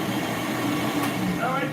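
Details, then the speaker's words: Vacuum cleaner during a no-power repair check: a steady, even motor roar with no dips, surging or dragging note; it sounds powerful, energetic and clean, with no drag. "I got power. Sounds good. Sounds energetic. Sounds clean. I don't hear any drag."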